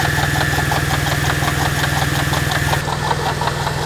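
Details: Mercedes SL 350 at idle, microphone down by the water pump: steady rapid ticking, about three a second, under a thin constant whine; pump bearing worn and leaking coolant.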